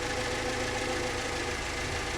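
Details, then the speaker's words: Mercedes-Benz W124 230E at hot idle after a new thermal vacuum switch for the fan clutch was fitted, waiting for the engine-driven fan clutch to engage; fan still freewheeling, steady even idle with fan whoosh, no knocks or misses; normal. "fan is still casually running. Hasn't kicked in yet."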